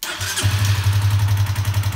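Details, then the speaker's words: Honda CBR125 four-stroke, previously idling rough and spluttering coming off idle once warm: a brief crank, the fuel pump audible, then it settles to an even, steady idle after the fix. Running normally. "so that's where we're at with this one if we start it up it runs great now so get it warmed up you can hear the fuel pump come on as you and you start it"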